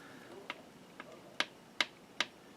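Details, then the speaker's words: Singer 620 Touch & Sew main drive shaft after gear replacement, shaft rocked by hand: a handful of light crisp ticks from gears bouncing through small intended play, no binding; normal gear backlash, bushings not rubbing. "Hear that? That's the other part of it bouncing off the other."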